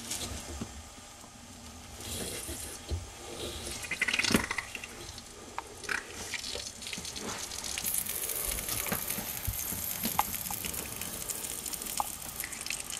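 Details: Dishwasher water inlet valve leaking at its solenoid once the hot water tap is turned on: irregular hiss and uneven, gushy splashing of water. Fix is to replace the whole valve with its mounting bracket.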